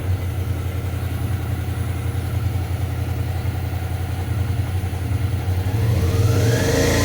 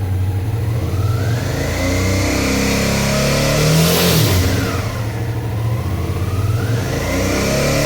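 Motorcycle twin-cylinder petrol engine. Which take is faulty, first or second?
second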